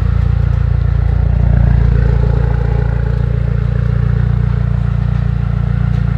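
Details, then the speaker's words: Mitsubishi Evo X with brand new engine, first start in over two years, much still unplugged: deep even idle with regular firing, no knocks or misses; oil pressure and AFR good, some smoke, possibly coolant. "there is still a lot of stuff unplugged so that could be part of the reason but it is idling good and it sounds good"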